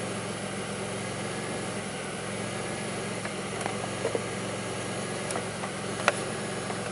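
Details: 2002 Pontiac Grand Prix 3800 with a rough idle, bogging, no check engine light and an alternator that overheats; a faint intermittent thump pulls the idle down. It idles low and unsteady with irregular ticks and dips. Cause unclear.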